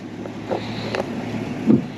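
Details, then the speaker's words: 1965 Ford Mustang coupe, inline six with three-speed manual, spark plug wires replaced, idling through its soft single exhaust: gentle even puffs at slow idle, no misses or tapping; runs well. "Alors, évidemment, elle est elle est elle a sa petite ligne d'échappement simple, très douce, on entend ici. Voilà, ça tourne bien, ça pète bien."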